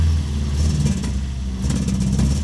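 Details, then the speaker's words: 1966 MGB GT, B-series engine, first start in several years with new battery and fresh fuel: when throttle is applied beyond the lightest tap it stumbles and pops unevenly. Misfire; owner hopes it clears once warmed. "there's definitely a misfire when you try and apply the accelerator really anything more than the lightest of TAPS in"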